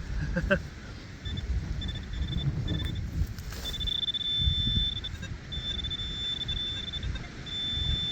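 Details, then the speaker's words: Metal detector in a stubble field: short irregular high beeps with no target over wind rumble, reading about 32 to 34; slight chatter of false signals all day. "Probably hear that slight chatter from the machine. Not major, but it's still about 32 to 34 out."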